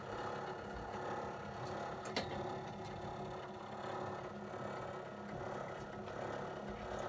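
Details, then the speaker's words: Hercal coil indirect cylinder or boiler: a steady low hum and rumble with a faint buzzing vibration every time the heating comes on. The cause is unknown. "do you fix that kind of problem because this happens every time when you when the heating comes on you get all these vibrating and kind of like rumbling noise"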